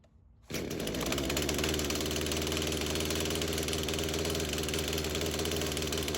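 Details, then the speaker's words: Craftsman chainsaw that sat for years, rerun days later after cool-down: starts and settles into steady, even idle without surging or hunting. Carb acting more natural; tip test shows no head gasket or crank seal leak; chain doesn't move at idle. "Yeah, I feel pretty confident in saying that that carb's acting a lot more natural. We checked the seals, we tipped it back and forth. The idle didn't seem affected enough to indicate any sort of, leak within the head gasket or the crank seals."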